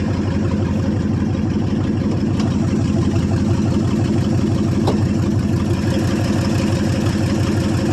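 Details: 1995 Ford F-150 5.8 L 351 V8 after running and revving, low on fuel and leaking oil: steady idle with a lumpy, uneven beat about three times a second; misfiring cylinders, head gasket or cracked head suspected, not confirmed.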